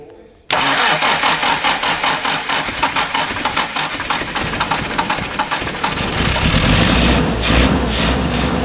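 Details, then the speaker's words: 1967 Morgan Plus 4 Drop Head Coupe, not run in years, on stinky old fuel, float suspected sticking; steady cranking for several seconds then catches into rough, building idle; engine cranking then starting. "okay it's a little rough but I mean it's running"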